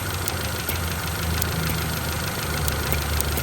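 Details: Honda CRX petrol after replacing an incorrect PCV valve that caused a vacuum leak and idle surging: idles low and steady, only a faint vacuum hiss and no surging; fixed.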